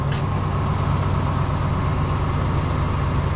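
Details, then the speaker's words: 1996 Chevy dually truck, first start after getting the fuel pump running: it cranks, catches, and settles into a steady, even low-rumble idle with no misses or knocks, sounding healthy. "Cranking. Hey! All right! Sounds good."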